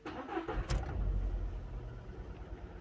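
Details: Skoda started in the morning with engine misfire, check engine light blinking: starter whirs briefly, then uneven stumbling idle with skipping beat; one cylinder dead.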